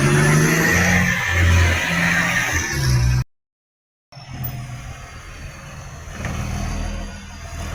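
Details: Diesel truck with massive exhaust leak: running very loud and raspy with a coarse low rumble throughout.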